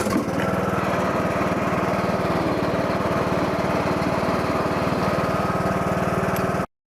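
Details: John Deere LA115 riding mower after replacing worn mower deck spindle bearings that had caused vibration; steady single-cylinder chug about four beats a second with no grinding or squeal from the deck; running normally.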